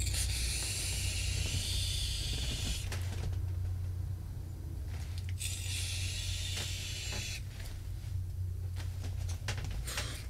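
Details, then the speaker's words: Voopoo Argus GT vape with the lower-power coil (rated to 60 W) at 55 W and airflow fully open: two long hissing draws with fine popping throughout, quiet in between, as the coil crackles while firing. "je vous fais voir ce que ça donne donc là le bruit ça crépite avec ce parti"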